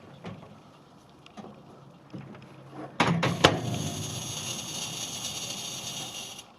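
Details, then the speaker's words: Sharp R-350E inverter microwave oven (bought 2023, 240 V supply): after soft clicks, a harsh, hissy electrical buzz holds steady, sounding like a short; waveguide, magnetron and HV transformer were checked, and the fault was the power supply relay on the incoming circuit. "that's what I'm talking about so that buzzing sounds like an electrical short so I'm going to pull it apart and see if I can find what the problem is"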